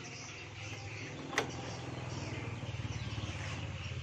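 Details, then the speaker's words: Honda Beat Pop (ESP) scooter: pressing the starter button gives only a click-clack, a single sharp click then a low hum, no cranking; a broken wire stops the starter turning despite fuse box and relays testing normal. "saya akan memberikan sedikit pengalaman tentang motor Beat Pop yang starternya itu hanya cetak-ceteknya starternya itu hanya bunyi cetak-cetek seperti ini"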